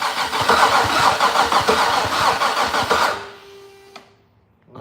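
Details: Fatsun (Datsun), first start attempt in 3 years, after closing the gap and cleaning contact points: even cranking about 200 beats a minute for three seconds, never fires; no spark, ECU power or grounds suspected.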